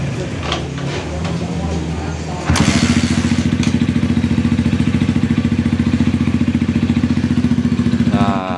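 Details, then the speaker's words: Jap-style motorcycle that drags when hot, oil getting in suspected; engine fires with steady thump then cuts out abruptly after several seconds; dies shortly after starting when hot, cause unconfirmed. "tor ini kalau panas di itu agak nge-gym ya agak seret kayak semacam apa kayaknya masuk oli di akhirnya"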